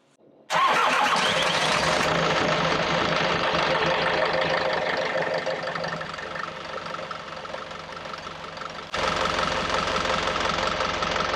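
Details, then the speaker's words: Yanmar 4JH3-TE diesel on a 43 ft Endeavour ketch, first start after clearing water from a hydrolocked engine caused by a wrongly plumbed driveshaft seal: cranks, catches, steady even clatter at idle, water and a little smoke from exhaust; normal running. "oh my God she's alive and we saved her water was spitting out the exhaust a little bit of smoke which that was understood"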